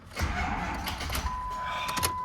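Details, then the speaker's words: Ford Powerstroke diesel after replacing broken injectors, batteries flat and only a jump box connected: labored, dragging starter whir that strains with chatter and never catches; slow cranking from dead batteries. "well that pretty much is a drag dead batteries are pain in the ass"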